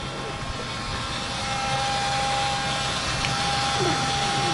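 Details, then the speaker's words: GAZelle van with Chrysler engine, lost pulling power: steady high buzzing whine from the fuel pump over the running engine; pump was suspected. "привет парни пропала тяга на газели мотор chrysler и сильно зажужжал топливный насос так что сегодня будем заниматься его заменой"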